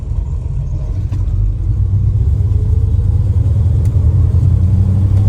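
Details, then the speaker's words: 1967 Plymouth Belvedere V8 driving cold, cold-blooded, after the belt squeal fix with a relocated power steering bracket: steady low rumble, no squeal or chirp from the front belts; normal running, no belt noise. "So nice without the belt squealing. So much better."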